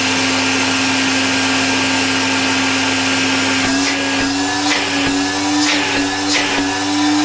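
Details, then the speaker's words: 1970 Alfa II vacuum cleaner after motor replacement: strong steady motor whir rising slightly in pitch, even, no grinding; dust cloud at first start, bearings possibly audible at stop; normal running. "It works quite well, although a cloud of dust came out of it after the first start - maybe it wasn't visible in the recording."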